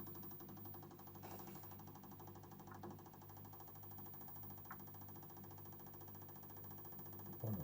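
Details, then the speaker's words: 1960s Lotus 19-inch valve TV model 6513, line oscillator suspected; on low supply voltage a rapid chugging buzz, about four pulses a second over a steady low hum, as the stage starts up slowly. "Needs a bit more supply voltage to get things working. Oh, that actually sounds kind of amusing when that starts up slowly."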